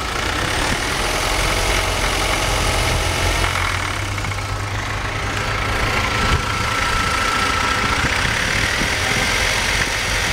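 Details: BMW 318i at idle: the engine wavers and stumbles unevenly with no steady beat and occasional hitches; rough idle.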